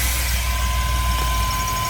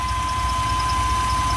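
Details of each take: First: GMC Safari 4.3L Vortec V6 with code P0305, check engine light on, before plug/cap/rotor tune-up: low idle rumble with faint uneven thump now and then, misfire on cylinder 5. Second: GMC Safari 4.3L Vortec V6 with code P0305 cylinder 5 misfire, after new platinum plugs, cleaned cap and rotor, and broken wires fixed, warming up: steady smooth idle with no stumbles or skips; misfire gone.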